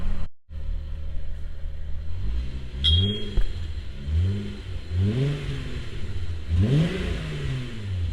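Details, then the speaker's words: MK3 Jetta GLX 12-valve VR6 before oil change: four clean throttle blips rising and falling smoothly, deep even exhaust note, no knocks, misses or rattles. "It sounds so freaking good. You literally cannot beat the sound of a VR. Like, you cannot beat the sound of a VR."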